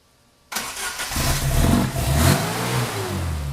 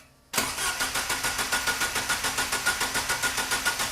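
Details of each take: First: Opel GT Targa on a newly installed Weber 40 DCOE carburetor, first test fire before throttle linkage hooked up: cranks and catches straight away, revs cleanly and settles without stumbling; normal start and rev. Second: Opel GT Targa after installing a Weber 40 DCOE carburettor, first test fire with throttle linkage not yet hooked up: starter cranks at a steady chug, about three and a half beats a second, for five seconds without catching.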